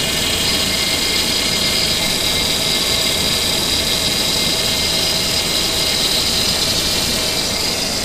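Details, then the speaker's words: 2002 Ford Explorer at first start after a timing chain job, idling: high thin whine from the power steering pump. The rack was unbled, leaving air bubbles; the whine fades as the steering is moved. "but the noise is going away got air bubbles in her let me try to move the steering a little bit but the noise is going away"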